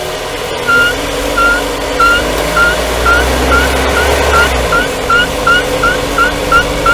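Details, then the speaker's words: 2020 Renault Duster, AWD automatic, 19,000 km, warmed up and driving without braking, microphone on the subframe: a rhythmic high chirp every half second over road rumble, from the left inner CV joint boot squeaking. "Речь идёт о писке, чириканье, называйте как хотите. Раздражающий звук во время движения, особенно без торможения и в прогретом автомобиле."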